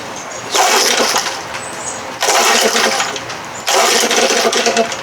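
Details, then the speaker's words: 1968 Evinrude 6 hp outboard set to high speed: the revs jump up sharply, then sag back down about every second and a half, hunting and unable to hold high speed. The carburetor throttle linkage/cam is suspected. "i'll put it way up on high speed there it goes right back down again"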